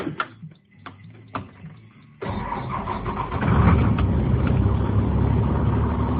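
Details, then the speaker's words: 2003 Blue Bird 26-foot short school bus camper, International diesel engine, automatic transmission, listed 200,000, heard from inside at the dash: a few clicks, then fires at once into steady even idle clatter; normal start. "And I thought I'd crank it up and let you hear it."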